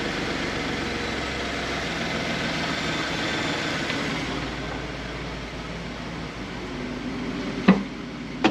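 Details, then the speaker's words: 2012 Ford F150 after vacuum pump replacement, heard near the pump behind driver's side wheel well: even idle hum with no ticking or buzzing, a couple of handling thumps; normal. "I don't hear anything. Hear it? That's about all you should hear when that's running."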